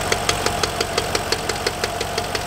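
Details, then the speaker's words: BMW E39 V8: sharp, even metallic clack about six times a second over the idle from the front of the engine, much louder than before, worse in a certain rpm band; VANOS suspected, not confirmed. "also das ist wirklich extrem und es ist viel lauter geworden als vorher"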